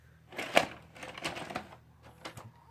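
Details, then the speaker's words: Hitachi VCR UX625 that stopped after 2 minutes of play, rewound itself and keeps ejecting tapes, rotary encoder switch already cleaned: bursts of plastic clicks and short motor whirs as it refuses the tape, accepting it only on the fourth or fifth try; cassette loading fault. "normally on the fourth or fifth time I'm trying to put the tape in it actually goes in"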